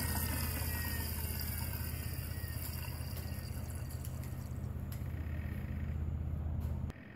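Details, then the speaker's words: BMW with radiator fan stuck on high, electric water pump in vent/self-test mode, cold engine: low rough frog-croak growl pulsing about four times a second, no coolant flow; bad electric water pump. "you hear that low low Gro sounds like maybe a frog croak and nothing else is happening you're not getting any coolant flow out of this we pole you likely have a bad water pump"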